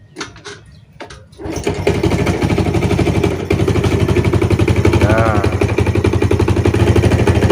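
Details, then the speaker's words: Yamaha Jupiter Z (Burhan) / Vega R New motorcycle, kick-started, idling: hard, steady tapping about four per second like a bad con-rod (setang seher), louder at low throttle, less when revved; engine also smokes, rebore/oversize planned; cause unclear. "suaranya ya saat Gas pelan ya stasioner itu bunyinya lebih kencang ya lebih apa kedengarannya Tapi saat digas dia enggak bunyinya berkurang ya"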